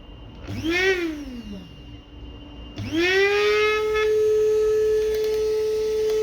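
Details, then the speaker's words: Kiwi coffee and spice grinder whose blades wouldn't turn; the motor bearings near the blades were rusted and cleaned with WD-40. It now spins up to a clean, steady high whine with no grinding; the lid rattles slightly unless pressed. "biraz kapağı ses yapıyor şöyle bastırmak lazım gayet güzel çalışıyor arkadaşıma hayırlı olsun"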